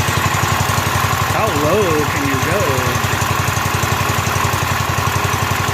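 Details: Rebuilt Kohler K241 single in a John Deere 210 garden tractor, first start with a new fuel line: steady putter with even firing pulses and a faint tonal warble; idles smoothly, before idle mixture adjustment.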